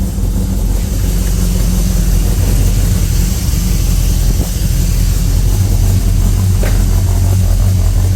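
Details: Ford ZH Fairlane 302 V8 after a complete rebuild, with a Holley Sniper fitted and starting to self-tune, tailpipes on: steady, even idle with a deep, smooth burble and no misses or knocks.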